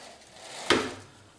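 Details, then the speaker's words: Homemade sliding table on THK bearing rails and aluminium extrusions, slid back: soft sliding rumble ending in a sharp clack as the bearing rail catches the top of a tube, leaving wear marks; operation unaffected. "That's this bearing rail just catching the top of this tube. And you can see the wear marks here from it going over that."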